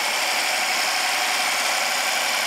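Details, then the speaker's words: 2014 BMW 650i N63 after a timing repair and two new injectors, cranked with a jump box on a weak battery: it starts and settles into a smooth, even idle with a steady airy hum and no ticking, knocking or weird noises. "okay on sounds good starts to run brought back to life"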